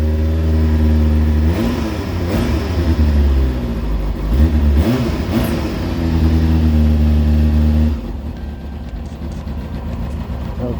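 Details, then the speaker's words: Rebuilt Kawasaki Ninja motorcycle, cold start with the airbox now fitted, so it is quiet and no longer throaty: a smooth, steady idle, then a few clean throttle blips that rise and fall quickly without popping or rattles; normal idle and revs. "nice and quiet had an air box on it was a bit throaty before obviously because it was sucking hearing straight from the outside but now he's got that air box on"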